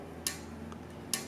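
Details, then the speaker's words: Bicycle rear derailleur, removed from its cage and cleaned, joints lubricated: two short sharp ticks about a second apart as it moves, from the dry spring rubbing the body; fix is to lubricate the spring's contact points, after which the noise is gone. "Here's to avoid this noise we need to lubricate the spring in contact with the gearbox and then the area to be lubricated this part here and the other contact with the spring here"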